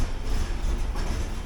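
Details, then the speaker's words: 1979 Porsche 924: low, uneven idle rumble that dips and stumbles; fuel pressure too low, engine sputtering and running rich, black carbon on paper towel at exhaust. "here same thing today pretty low on the fuel pressure it should be up a bit higher but I'll let it sputter away for a bit"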